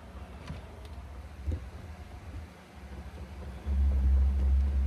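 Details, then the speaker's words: Chinese diesel heater, first start after install in a sixth-generation Ford Bronco: quiet fan hum, then a steady louder drone as the fuel pump kicks in after the system check and pumps fuel to the burn chamber; normal startup. "oh now see the fuel pump has come on so that means it's done a system check and everything is good to go so now it's going to go ahead and fire up"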